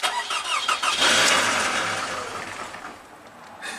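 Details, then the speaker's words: Toyota Camry with prior no-start and offline ECM, blown fuse replaced by a 4 amp test light showing no short to ground; short crank, then it catches and settles to a fast idle without stumbling. "well it fired up I don't see any short to grounds here"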